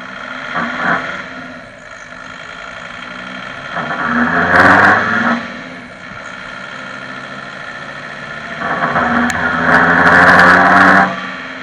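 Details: Volkswagen T4 2.5 TDI van: under two hard-acceleration pulls, a rough rasping grind over the engine note, caused by a loose gearbox mount touching the sump guard.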